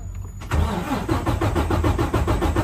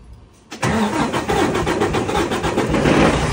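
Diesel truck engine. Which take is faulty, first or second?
second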